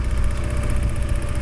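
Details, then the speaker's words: Porsche 944 after a fix: deep, even low rumble with steady beat, no knocks or stumbles; idling noticeably smoother than before. "And I'm sitting here now just listening to the engine, and that is 100% idling nicer than it was. That's way smoother."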